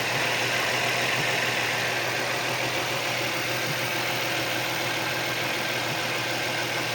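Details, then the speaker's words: Nissan 350Z engine idling with a belt fitted that bypasses the suspect tensioner/pulley and power-steering pump: a steady, even idle with no knock, tick or whine; the knocking is gone, so the remaining pulleys are fine. "So the engine runs smooth, no noises, no vibrations"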